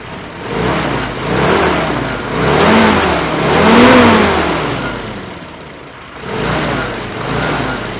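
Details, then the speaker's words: Ford-script Willys army Jeep that had no idle (idle circuit not getting fuel), after carburettor repair and mixture adjustment with air cleaner fitted: engine blips up and settles cleanly several times, no stumble, popping or hesitation; healthy revving. "That's running pretty nice there."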